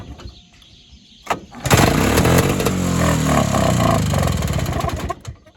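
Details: Evinrude Bobcat 25hp two-stroke snowmobile, sat 20+ years, not started in a while, primed with fuel; a couple of recoil pulls, catches, runs ragged and uneven briefly, then dies; owner suspects an air leak or hardened carburetor diaphragm.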